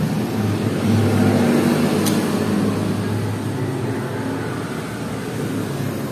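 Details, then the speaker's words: Yamaha Jupiter MX 135 before engine overhaul: loud, quick clattering rattle about three per second over the small single; badly worn cam chain. "Kara suara mesinnya udah parah terutama di area rantai keteng rantai keteng udah parah banget"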